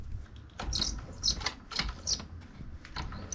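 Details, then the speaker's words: Sur-Ron electric motorbike drive belt on a stand, rear wheel turning: sharp high chirping squeaks about twice a second, worse when rolling slowly with a rider; dry or overtight belt, fixed by rubbing Speed Stick deodorant onto the belt. "so yeah that's the noise it's uh even more so when I actually when I'm on the bike uh rolling really slow you can really hear it"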